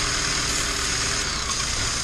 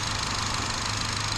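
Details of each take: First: 2011 Chevy Cruze at idle: loud steady hiss sitting high over an even idle, unchanging; massive intake-side vacuum leak, before repair. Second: 2011 Chevy Cruze after fixing a massive vacuum leak from a leaking PCV valve built into the valve cover: smooth, steady idle with an even low thrum, no hiss or hunting, while the ECU relearns; running really smooth now; normal idle.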